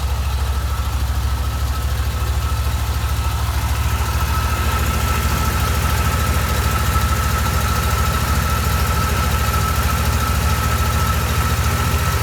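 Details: 1987 Corvette engine after unflooding (cylinders blown out, plugs refitted) idles deep, loping and unsteady, sounding rich; dies when throttle released and floods again, fuel getting into oil; owner suspects fuel seeping past piston rings.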